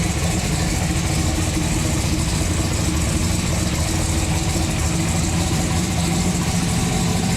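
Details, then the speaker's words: Turbocharged COPO Camaro V8, freshly built with a new intake, turbo and exhaust, refired to idle: a deep, steady rumble with an even, lumpy beat and no knocks or rattles; running healthy. "All right, we gotta give this old girl one more fire up because she just sounds too good. I can't get over it."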